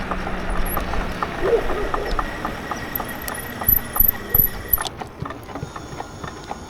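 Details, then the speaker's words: E-bike rear hub motor while riding: an uneven clicking knock about three times a second from the rear wheel; it still accelerates fine, the wheel doesn't wobble and the rim seam is partly separated; cause unknown. "That's getting really repetitive sounding. I mean, it's like I said, it's accelerating fine though, so I don't know."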